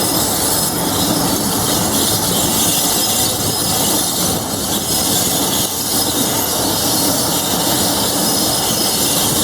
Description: The opposite of locomotive thrash ? Class 47 , 47077 , applying the brakes , with loth of brake and bogie squeal , just outside of Levisham station on the North Yorkshire Moors Railway ..